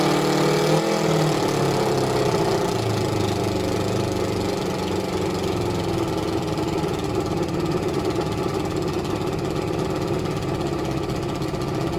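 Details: Suzuki ZL600 Eliminator carbs being balanced by bank with restricted vacuum gauges; idle wavers in pitch, then settles into an uneven, loping beat around three a second, a rough, unsteady idle, cause suspected as unbalanced carbs, not confirmed.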